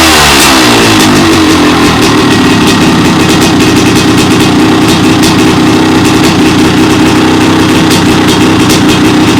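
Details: 1998 Honda CR500AF (ex-factory CR250 converted to CR500 two-stroke), started off the stand, tried without choke: crisp, busy crackle that revs freely and settles without stumbling; sounds healthy and clean.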